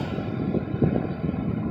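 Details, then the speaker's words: Ford Crown Victoria fuel filler neck "fake full" issue: after filler-neck hack, steady low rush of fuel flowing into tank uninterrupted, no pump shutoff clicking. "hear that no more clicking uninterrupted ceiling look at that more clicking we're stopping"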